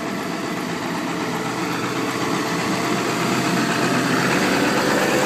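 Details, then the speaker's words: 2002 Ford 7.3 Powerstroke diesel, snowy December cold start, 4-inch MBRP turbo-back exhaust and possibly TC 6-position tuner: steady even diesel clatter at idle firming up as it warms, no misses or knocks; normal cold-start idle. "the old classic 7/3 sounds like she's open yes 4-inch turbo back mbrp exhaust and he has that TC 6 position Turner I believe"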